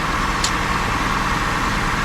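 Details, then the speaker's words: 2002 Honda Accord coupe V6 running again after culprit D101 cable found, check engine light on; even smooth idle with steady low hum, no clicking or ticking; normal idle. "No clicking, no nothing. Nice, smooth. Back on."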